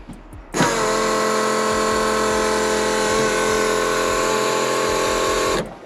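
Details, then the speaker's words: Newly installed replacement fuel pump priming for a Holley Super Sniper on a stock-block 347 V8 with Vortech V-1 supercharger, primed several times: steady high whine holding about five seconds then stopping cleanly; normal priming. "just hit the key we've already primed it a couple times so it should be plenty of fuel in there"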